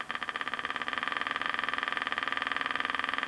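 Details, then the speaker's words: 1964 GE P807J transistor radio with reed-type speaker, no output transformer, powered from bench supply through isolation transformer, voltage raised slowly to 3 V: steady low putt-putt about 3.5 beats per second, motorboating; owner suspects a capacitor or broken trace. "let's turn on see what we get and turn it on okay it's on put the voltage up slow we're getting motorboating we're at three volts"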